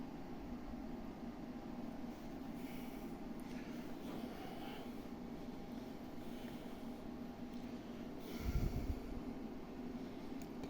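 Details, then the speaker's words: Fujifilm desktop PC, basically new and all stock, with a GeForce4 MX: at power-on a constant loud airy cooling-fan whir with a faint steady tone and no speed change, louder than a PlayStation Pro. "let's part it on as you can see it's very loud it's is even louder than the PlayStation Pro"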